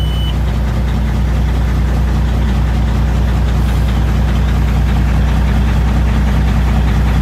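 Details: 2005 Peterbilt 379 EXHD semi truck, started with key and push button: deep steady diesel rumble with an even low beat, no knocks or misses; idling smoothly and healthy.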